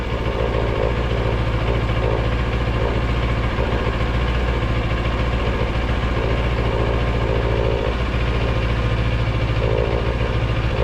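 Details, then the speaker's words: V-twin motorcycle idling in neutral with a loping pulse and a light buzzing rattle from the TFT dash cowl bracket, held by only two screws; the vibration noise returns even after adding a middle screw. "should have one screw there in the middle and uh vibration should be gone but uh [Music] unfortunately get that in there it comes back"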